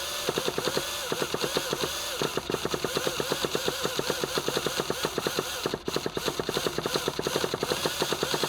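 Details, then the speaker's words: Traxxas Revo 3.3 nitro monster truck, sat 10 years, original glow plug, starting: rapid buzzy chattering pulses in fits and starts, slipping, no steady run; hard starting before it finally catches. "let's see if we have a hard time starting this thing like we did in the last video that was kind of strange see it's doing that slipping thing"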